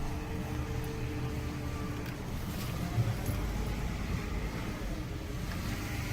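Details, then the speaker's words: Car with a transmission problem and check engine light on, in gear and barely creeping into the shop: a faint steady whine over a heavy low rumble, an automatic transmission pump starving for fluid. "Uh-oh. Y'all hear that? I'm in gear. That sucker is starving for fluid."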